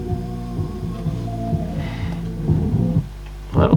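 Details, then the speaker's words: 1995 Marantz 74SD535 dual auto-reverse cassette deck playback: music dull and dark with almost no treble, low hum, some wow; muffled playback, heads not clean, cause not yet found. "probably the issue with it it sounds really muted and horrible"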